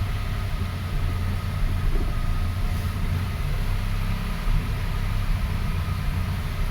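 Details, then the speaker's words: 2005 Toyota Passo (earlier no-start case) running at fast idle after start with a replacement ECU fitted: low, uneven, lumpy beat with occasional stumble instead of a smooth hum; misfire traced to a bad ignition coil ground. "Oh, we have a bit of a misfire. Okay, we're ready to take our captures with the replacement ECU."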